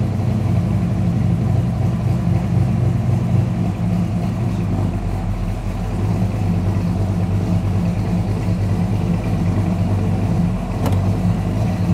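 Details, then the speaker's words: 1973 Chrysler Newport Custom, 400 big-block with a Holley carb and loud pipes, started after sitting three months over winter. Deep, steady, even rumble with no knocks or ticks: normal warm idle. "well you see it gets angry she's ready to go that sounds so"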